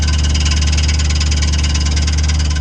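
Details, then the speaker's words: 1979 Chevrolet El Camino at idle: a deep steady rumble with a fast, light, even ticking on top; the owner separately suspects a whining noise comes from the torque converter. Source of the tick not pinned down. "it's not the whiny noise it might come in a minute it's like a tickety to take a noise I think the whining noise is the torque converter"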